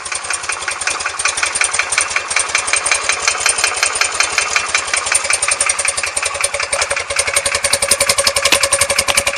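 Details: R100S, about 500 km since rebuild: rapid, sharp metallic ticking knock at roughly 160/min over a busy boxer idle, left side, cold only and gone when warm. Heads retorqued, rockers and rocker side-play adjusted; piston pins and rod bushes checked fine. Cause unconfirmed.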